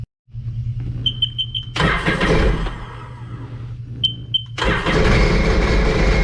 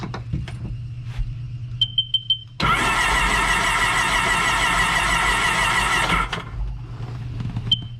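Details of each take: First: The engine cranks, catches, stumbles, then fires again and runs ragged and uneven. This is a 2006 supercharged Sea-Doo Sportster that sat about two years, still on old gas; a supercharger rebuild is suggested. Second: A few clicks, then about three and a half seconds of quick, even cranking with no binding; the engine turns over freely. This 2006 supercharged Sea-Doo Sportster had sat about two years and was cranked in drown mode after an hour-long soak, before the spark plugs went in.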